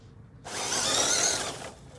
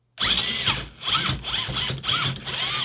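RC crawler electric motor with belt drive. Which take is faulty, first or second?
first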